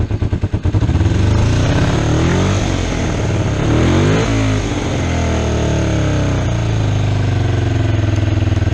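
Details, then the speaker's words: Kawasaki EX250 Ninja motorcycle twin after carburetor cleaning, choke turned off: stumbles briefly then idle climbs and holds higher than it should; idle adjustment/carb synchronization out of adjustment; high idle. "that's choke off hear how it idles up it shouldn't do that that's out of adjustment"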